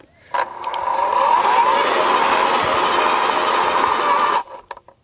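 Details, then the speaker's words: AEG (Ridgid) 2x18V battery post hole borer drilling in grass: steady high motor whine under load cuts off abruptly with clicking as the kickback safety cutout trips when the auger catches. "okay that cuts the tool out so it starts to spin if it catches on anything hits that you can hear it clicking just cuts it off"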